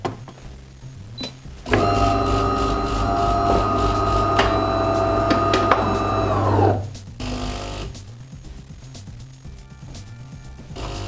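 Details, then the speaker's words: De'Longhi Dynamica FEB 3515.B brewing decaf from one level scoop of pre-ground coffee; steady buzzing pump hum for about five seconds, then a clean cutoff; normal brew cycle. "alors on verse ensuite une cuillère et une seule une cuillère rase maximum de café moulu dans la trappe prévue c'est déjà prédosé je referme la trappe et je sélectionne ma boisson"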